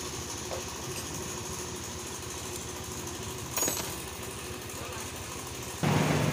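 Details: Yamaha Soul GT automatic scooter idling with a fast, light, constant metallic clatter of about four per second; workshop teardown found the cam chain rattling because its tensioner had failed.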